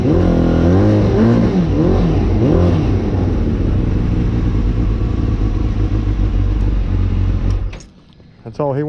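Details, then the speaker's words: Suzuki GSX-R, a recovered stolen bike, just rewired with its fan hot-wired and running on a battery charger; a carburetor issue is suspected and the carbs still need doing. Blipped revs give a lumpy, uneven note, then it dies away: rough running, cause unconfirmed. "so let's see if she will start and I think he does still have a carburetor issue"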